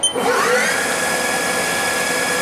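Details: Haas TL-1 CNC toolroom lathe spindle run forward up to about 1300 rpm and in reverse at 13–1400: whine climbs quickly, then holds a clean steady pitch with no grinding or rattle; spindle runs smoothly.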